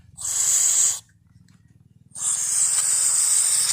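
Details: Isuzu diesel injector, nozzle 144PN309, on pop tester: two long coarse hissing bursts instead of crisp chatter; nozzle hole worn enlarged and carbon-fouled, injector needs replacing.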